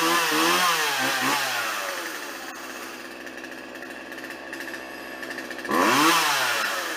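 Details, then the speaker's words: Old Craftsman chainsaw, 2.2 cu in, 16in bar, unused about two years, after fixing fuel lines (had only run tilted right): snarls up and down on throttle, idles steadily, revs cleanly again; running normally. "okay good to go problem is solved uh I'm almost positive"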